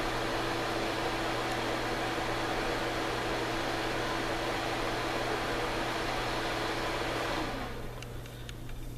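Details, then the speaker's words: Suncourt HVAC register booster fan, roughly 2004–05 unit, running on manual setting: loud steady whooshing roar over a low hum, even until switched off; unusually noisy fan, cause unclear. "We'll turn it on. Noisy as hell. And this is on manual."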